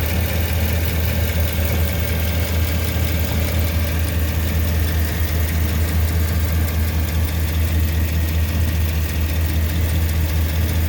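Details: 2009 Chevy 2500HD 6.0L V8 with cylinder 5 misfire (P0305): heavy idle with uneven pulse and soft tick; found to be a stuck exhaust lifter on cylinder 5, a bad exhaust flange gasket and a stuck cam bearing; engine replaced.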